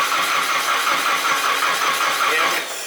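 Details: Drift truck with LS coil packs, cranked while checking for spark: the starter chugs evenly and rapidly for about 2.5 seconds with no firing, then stops. It cranks but won't start; spark is intermittent and the plug wires are suspected.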